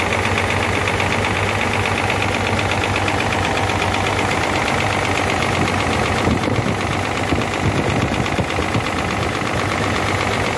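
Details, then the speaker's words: Hino J08C truck diesel after overheating, water entered cylinders via head gasket: heavy uneven knocking two to three per second over rough, misfiring, smoking idle from cylinders one and two with back compression; pistons and rings seized. "And the rest what is missing is because the piston is not working properly. There is also smoke due to missing, that too is due to piston from behind. Piston and ring are seized with each other."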